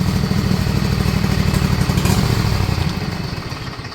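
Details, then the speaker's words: Cub Cadet Z-Force zero-turn: uneven, loping chug whose beat wanders then sags; erratic idle blamed on the gas pedal setup, cause not confirmed. "And because that gas pedal is, the idle's all over the place."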